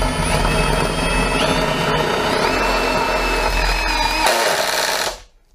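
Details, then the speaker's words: DeWalt DT7513T accessory tried in a brushless drill after an impact driver: steady high whir with a light chattering rattle, not heard before over the impact noise; the accessory sounds loose in the chuck, cause suspected, not confirmed. "now here that that was rattling away we couldn't hear it before because of the noise of the impact"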